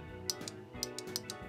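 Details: Sharp, distinct clicks from an automotive fan relay removed from the engine fuse box and bench-energized directly with positive and negative, armature pulling in cleanly over faint background music; normal relay click.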